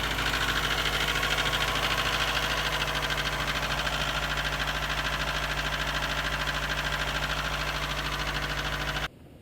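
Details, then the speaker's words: 2002 Subaru WRX, built EJ25 2.6L STI hybrid with forged internals, cold start idle on a morning in the high 30s to 40s °F: loud hollow knocking through the engine note, piston slap when cold. "i have a good amount piston slap in the morning it's actually pretty loud when it's cold out"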